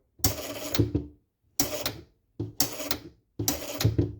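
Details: Playmatic Harem pinball machine at power-on with seven credits: four quick bursts of relay clatter about a second apart; the J (juego/game) relay keeps cycling on and off.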